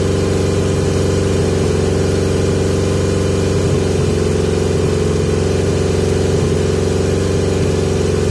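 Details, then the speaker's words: 1980 Yamaha XJ650 four-cylinder, carbs off then refitted with pod filters. Steady, even, noticeably fast idle with no dip or hunt. Still a high idle problem; owner suspects too much or too little air. "I've still got a idle high idle problem so suggestions please people"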